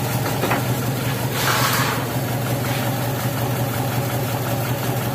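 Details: Taruna EFI petrol engine before a tune-up, idling unevenly with a stumbling low beat; the car came in hesitating and lacking power, with zero trouble codes.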